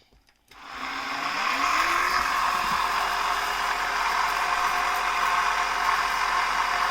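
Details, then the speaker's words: Onson D18E cordless stick vacuum after super-gluing the broken plastic piece on the head brush rod: steady high motor whir with even airflow, no rattles or dips; runs fine after 20 minutes' use. "So I just vacuumed the house with this and it's running fine. Let me show you. I'll turn it on right now."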